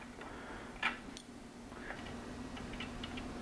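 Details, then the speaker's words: Rotax 503 two-stroke aircraft engine cooling fan, removed and spun by hand, gives faint, uneven ticking and a rough rustle as it coasts; the bearings are worn and need replacing (the fan turns twice engine speed). "Can you hear that? Those bearings need to be replaced. The fan turns twice as fast as the engine."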